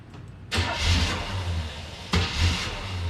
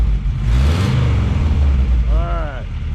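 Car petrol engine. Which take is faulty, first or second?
first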